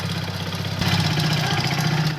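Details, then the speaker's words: Hero HF Deluxe BS6 sensor model at 50,000 km, started on self-starter: rough uneven idle with loose hollow clatter over the exhaust, white smoke from the silencer; mechanic diagnoses a worn piston needing engine repair. "और पीछे जो silencer है उसमें जो white smoke निकल रहा है वो क्लियरली हमें बताता है कि इसका इंजन पिस्टन ख़राब हो चुका है।"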